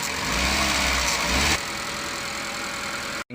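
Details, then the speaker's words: Suzuki Eeco brought in for overheating and misfiring, idling after repair with a new radiator while warming toward operating temperature: steady, even idle, the slight miss heard earlier when revving now gone. "right now the missing has disappeared but i'll keep it running for some time till it reaches operating temperature"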